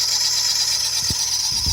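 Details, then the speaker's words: Nissan Micra at idle: loud, steady, high-pitched squeal from the belt area, traced to a worn A/C compressor clutch bearing rather than the belt or tensioner; belts hard to reach. "So it's developed a horrible squeal, and this thing, all the belts and that are a real pig to get to."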